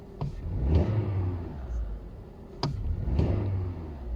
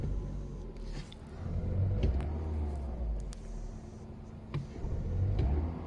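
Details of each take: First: Audi A2 petrol with LPG conversion, fully cold after standing a day, after replacing a 12V battery with a dead cell that caused cold misfiring: engine blips up twice and settles cleanly, no stumble or misfire. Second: Audi A2 with LPG conversion, cold start: rough, lumpy idle that bogs, shakes and drops rpm when revved, improving after 10–30 seconds. The misfire is caused by a 12 V battery with a dead cell and low voltage.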